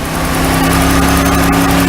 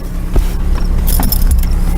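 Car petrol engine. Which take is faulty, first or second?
first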